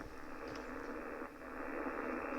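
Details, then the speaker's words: Ham receiver on 80 metres with loop-on-the-ground antenna on an empty band: steady rough static hiss with faint crackles. This is RFI from a neighbour's running lawnmower, first mistaken for a faulty loop. "that's the interference I was receiving when I thought the loop was faulty."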